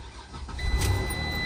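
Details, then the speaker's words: 2014 Ram ProMaster 2500 after fuel pump replacement, pump primed several times with key on before cranking; brief crank, then starts cleanly into a steady low rumble. "Oh, lovely. I love that sound."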